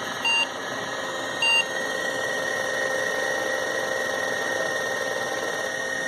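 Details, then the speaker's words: Old 286 PC at POST: two beeps flagging a fault in first 64 KB of memory, then eight beeps indicating video error, caused by an 8-bit video card in a 16-bit slot. "the important one is the eight beeps that we get afterwards which indicates a video problem"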